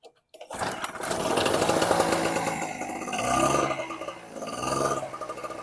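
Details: Storm Cat 700W two-stroke 63cc generator started on choke after repair, run on 40:1 fuel mix (spec 50:1), slightly smoky: buzzy engine settles into a steady run after a brief start with only mild pitch surging; running normally.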